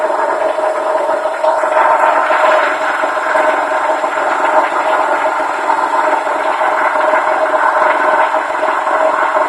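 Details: Honda D16Y7 petrol engine running: steady rough whir with a constant mid-pitched whine, going on for a couple of months with no apparent effect; oil changes kept up, level good; source unknown.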